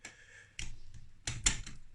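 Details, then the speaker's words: Yamaha DT125R two-stroke after bottom-end rebuild and worn selector fork replaced, engine on the bench, gears turned by hand: crisp clicks through neutral and gears with no grinding; gearbox selection normal. "fourth food where it spins so the gearbox is alright that's a good thing"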